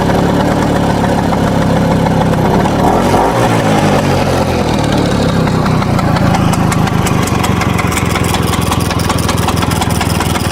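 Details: 1963 Vespa VBB two-stroke scooter idling with uneven metallic rattle over the putt-putt beat; also won't start after warming up, rattle source unclear, cause not confirmed.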